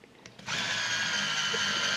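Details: Olympus Stylus Infinity Zoom 115 DLX 35mm film camera with fresh battery; short click then steady even-pitched whir as zoom motor extends lens toward 115 position, flash raising properly. Normal zoom motor operation.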